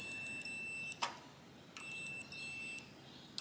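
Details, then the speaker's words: 1968 Harley-Davidson generator Shovelhead ignition points checked with multimeter during no-spark diagnosis; clean paired beeps with short pauses as points close, now showing continuity after being reseated, cause unclear. "See that? Works now. So God knows what we just fucked with, but some poop just made it work."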